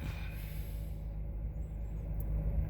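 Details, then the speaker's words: 2008 Acura RDX, cold engine, idling after cleaning the mass air flow sensor to cure a rough, shaking idle with no check engine light: low, even rumble with a steady beat and no misses or hunting; now idles super smooth. "it's running smooth super smooth that's no problem we didn't have any check engine light"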